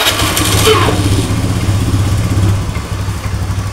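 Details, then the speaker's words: Honda Scoopy FI automatic scooter that used to stall on throttle release: after adjusting the idle air setting, with the key cycled off/on and no throttle, a low, even putter holds steady without dying; fixed, idling properly. "Oke sudah sembuh P Ya sudah bisa langsam"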